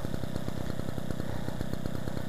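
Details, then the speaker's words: 1966 Raleigh Runabout moped, last used 1986, after refurbishment: crisp regular two-stroke pop-pop around ten beats a second, even and unbroken; engine idling sweetly, normal. "i'll leave it running because the engine is really sweet on this one it's got a nice little two-stroke pop pop"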